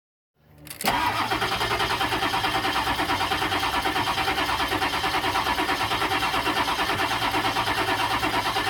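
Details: 1999 7.3 diesel wrecker with a new crankshaft position sensor and new ECU: the starter cranks steadily at about three beats per second for eight seconds and the engine never catches. Cranks but won't start.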